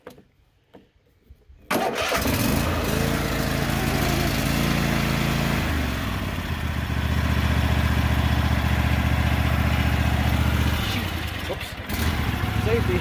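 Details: Cub Cadet XT1 lawn tractor after full maintenance (new oil, air filter, spark plugs, fuel filter), oil looking slightly overfull, choke on: catches quickly after a short crank and settles into a steady, even idle with no misses or knocks; normal.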